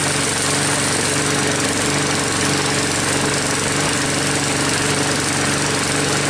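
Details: Troy-Bilt mower with a "Frankenstein" engine built from another engine's parts, just started after a head gasket replacement and still hard starting: an even single-cylinder buzz holding speed, no misses, knocks or surging; no leaks seen after about five minutes.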